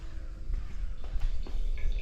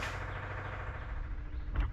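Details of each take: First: 1963 Corvair fuel system: soft trickling of fuel flowing back to the tank over a faint pump hum, about 2 psi dead-head at the gauge, no leaks; normal return flow. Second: 1963 Corvair with newly fitted electric fuel pump, engine off: low, steady, unchanging hum, much louder than the racer's pump; not leaking, but deadhead pressure reading struggling and vapor lock suspected.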